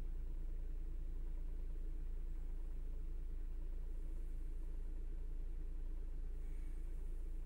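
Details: Chrysler/Dodge/Jeep-line engine after replacing a leaking intake gasket (code P2173, vacuum leak found with spray). Warming idle settled around 750 rpm: a low, steady, even rumble with no hunting or surging over several seconds. The daily 1300 rpm surge with warning light no longer occurs.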